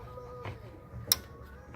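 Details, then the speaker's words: Powerdrive 2 golf cart charger after fuse replacement, DC cord plugged into a board simulating a cart: two sharp relay clicks over a faint hum, the 48 V coil closing the relay normally to pass 110 V power. "that thing okay that's good that means that the relay here is closing it takes 48 volts to close the coil on this"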